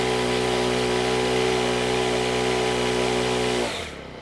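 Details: Honda WJR4025 backpack sprayer, GX35 four-stroke petrol engine, spraying at high throttle; steady high-revving note holds an even pitch under load, then drops cleanly as throttle closes. Praised as a smooth Honda sound; healthy normal running under load.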